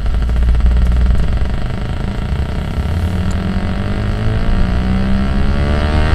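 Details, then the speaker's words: Car AM radio tuned to 1330 while driving: a thin, wavering remote-control-car-like whine over the engine drone that rises and falls with road speed. Interference from an unknown source. "the radio like sounds like a little remote control car but it reacts to like how fast I'm going kind of sweet"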